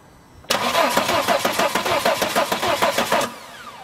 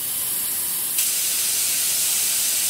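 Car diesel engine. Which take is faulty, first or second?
first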